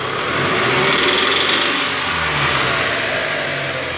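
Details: Mitsubishi L200 engine noise on acceleration: pitch climbs as it revs, with a harsh hissing, rattly noise on top that grows with throttle; source not pinned down.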